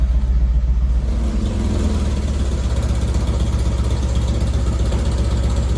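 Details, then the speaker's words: VW with dual 34 carburetors after sync and tune, starting without high idle: even low burble at steady idle, no misses or hunting; idle speed correct. "so the idle sounds good it's not too high"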